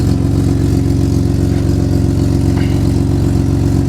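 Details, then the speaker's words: Nissan Skyline R33 RB25DET at idle after replacing the power steering hoses with a stepped brass joiner: a smooth, even idle with no pump whine or moan; the power steering is super quiet. "That's super quiet."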